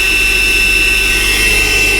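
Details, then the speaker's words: 2008 Mercedes CLK350 with 129k miles and a formerly seized engine, running with no coolant: a steady, high, airy whine over a smooth fast idle as the secondary air pump blows after a cold start, then shuts off. Normal. "And secondary pump is blowing here. That's incredible. So secondary pump just shut off."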